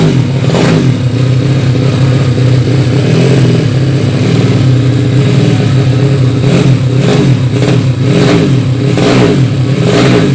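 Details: Yamaha Vega ZR with 200cc Mio cylinder swap (66 piston, standard stroke), after re-jetting to main jet 145; single-cylinder runs steady, crisp blips rising and falling cleanly, even idle, fuelling right.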